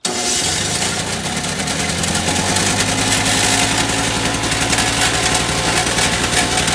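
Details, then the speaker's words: Two-stroke electric-start snowblower, primed and choked: catches and holds a steady working-speed run without surging or sputtering, throwing light snow better than before; normal running. "all right well it's working better than it did before"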